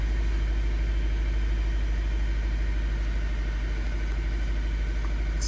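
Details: 2013 Nissan Sentra with rough idle and shaking, idling in park; petrol engine rumbles with an uneven pulse about two beats a second, scan tool showing cylinder 1 misfire; coil packs and spark plugs suspected.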